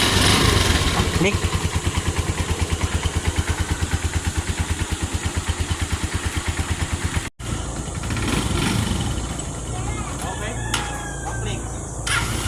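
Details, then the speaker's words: TMX 125 single-cylinder after fix: faulty stator primary bypassed by converting to a battery-operated CDI fed from the battery or charger (original CDI still good); steady idle putter with a slight stumble midway, then smooth, idling normally. "Bale ang problema yung kanyang stator yung primary yan. Kinonvert lang natin sa battery operated CDI para kukuha na siyang supply sa battery or sa kanyang charger."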